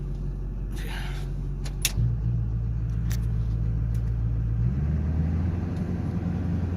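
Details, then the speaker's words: LB7 Duramax diesel pickup, new exhaust with resonator instead of MBRP muffler, heard in cab held around 1250 rpm (usual 1700-1800 drone zone): low, smooth, subdued hum with no booming drone; normal. "1250. That's pretty good. It's usually our drone zone. 17 to 18. Sounds good. Sounds good."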